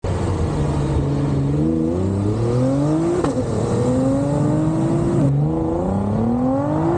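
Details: Nissan GT-R R35 GR6 dual-clutch transmission under test: engine pulls hard, then revs flare briefly on the 1-2 upshift before the next gear catches and pitch drops, a delayed clutch cross-over (shift flare).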